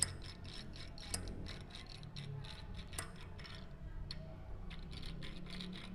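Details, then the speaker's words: About five-month-old bicycle, wheel hub spun after cleaning: quick, uneven dry ticks with faint rub; water got in and washed out the factory's thin grease. "Pois é vou abrir esse Hub para verificar qual o barulho né aí a água entrou"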